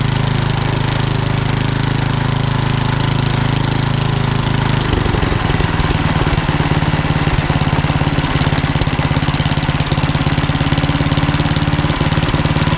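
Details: Old rusty Tecumseh 10 hp HM100 single-cylinder after a genuine Tecumseh carburetor replaced a rusted knock-off and the governor linkage was corrected. The thump settles into an even, steady beat of about three firings per second. Normal running.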